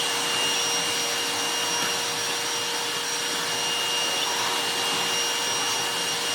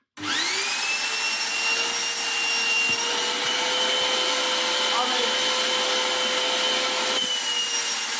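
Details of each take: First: Goblin Solo vacuum cleaner after restoration with a hacked replacement motor and resealed bag door: steady high-pitched air rush with constant motor whine, no surging; airflow strong when hose isn't clogged. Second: Goblin Solo vacuum cleaner, restored, with a replacement motor mounted right against the exhaust grille. Steady high motor whine turns strained and choked as the exhaust filter is fitted: restricted motor airflow from a blocked exhaust filter.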